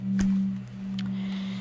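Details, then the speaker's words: Oontz Angle 3 speaker with a five-year-old good battery, somewhat low on charge, playing low tones clearly with no clipping or crackle, compared with a bad-battery unit that crackles below about 50–60% charge. "now if I use my speaker which is it's got a good battery in it despite being five years old this one I think it's a little bit lower on battery at the moment but it sounds way better"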